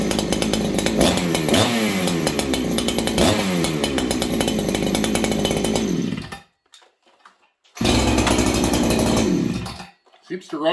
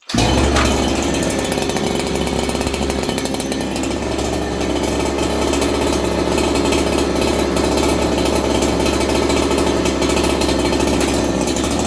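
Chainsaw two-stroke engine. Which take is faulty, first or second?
first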